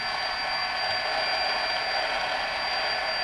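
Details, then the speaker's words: DJI Phantom brushless motor spinning before bearing oiling: a steady high whirr with a rough, gritty grinding edge. Motor grinding noise; the cause is not confirmed, and the owner plans to fix it with high-speed brushless motor oil on the bearings. "grinding grinding sound okay that's all I wanted to show you there"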